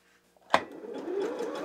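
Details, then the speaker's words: New Janome JW8100 sewing machine, re-threaded after a leftover bobbin thread strand caused a tangle: single click, then smooth, even, consistent whir with no catches or knocks; normal stitching. "error that sounds a lot better sounds very consistent"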